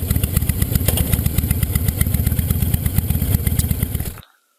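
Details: 2005 Honda VTX1300 V-twin on test ride after air box work: big twin thumps with uneven loud exhaust pulses, popping off throttle before cutting out; suspected slow jet circuit or jetting issue in the carb, unconfirmed.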